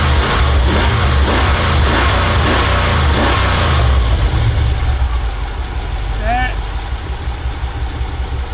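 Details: 1994 Chevrolet Caprice Classic after crank-no-start fix: fuel pump replaced and broken vinyl fuel line repaired. A few throttle blips, then it settles into an even, low idle and runs cleanly. Fuel pressure holds at 30.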